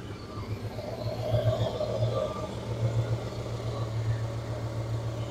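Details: 1967 Dodge Coronet 440, 318 V8 with Holley Sniper fuel injection, automatic, dual exhaust, on a very hot day with AC running and blowing cold: steady low V8 burble at idle, no knocks or ticks; a clean, healthy normal idle.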